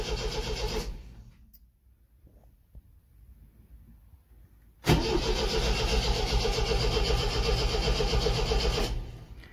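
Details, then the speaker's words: 1974 MGB GT first start attempt after 7-8 months sitting, choke used, battery getting flat: starter churns about four turns a second, pauses, cranks again, never fires; rev counter not moving, owner suspects no spark; cranks but won't start. "That's interesting. The actual RPM isn't changing. I know that that rev counter's good. So does that mean sparks are not happening?"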